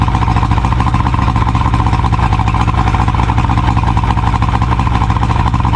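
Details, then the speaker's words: 70hp Johnson outboard on a Nitro 165TL bass boat, run on a water hose after the lines were cleaned and hooked to good fuel: steady, even buzzing at constant speed, no surging or stumbling; running much better than before. "She sounds like she's running a whole lot better now than she uh than she was before."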